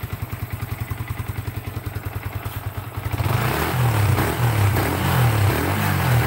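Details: Yamaha Vixion motorcycle after repair: steady, even idle thump at about three and a half beats a second, then clean rising revs that pull smoothly; normal idle and revving, engine sounds healthy.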